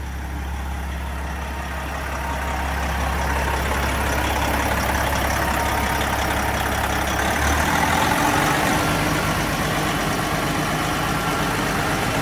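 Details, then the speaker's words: Detroit 12.7 diesel, almost a million miles, just overhauled with new liners, pistons, stage 2 cylinder head, main bearings, rebuilt Jake brake: deep even idle, steady firing, no knocks or misses; normal idle. "Man, sounds like an old Detroit. Smells like one, too."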